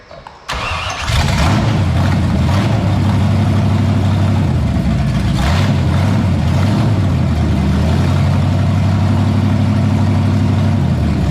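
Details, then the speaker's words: 1978 Pontiac Firebird with a small-block V8 swapped in after the big block's cam went flat, first start after priming the carburetor: it catches after a short crank and settles into a steady, even, deep idle with no knocks. Coolant at 190; sounds healthy. "I got some heat in the hoses. We're sitting 190. I'm gonna let this thing cool back off, let it burp and burble and do whatever it wants. It sounds pretty good. I'm happy with this."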